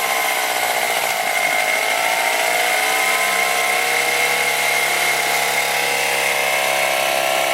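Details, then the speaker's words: 1998 Honda BF15A outboard that was stalling at idle, first start after carburettor removal and cleaning and priming the fuel bulb: it catches quickly and settles into a steady, even buzz with no stumbling. Running normally. "okay so it started up quite easily let's hope for a good sign"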